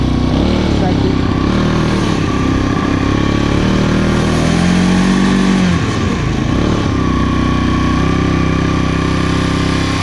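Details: Abandoned small single-cylinder machine, just revived after adding gas, holds a steady fast idle with one brief dip, then settles and runs cleanly.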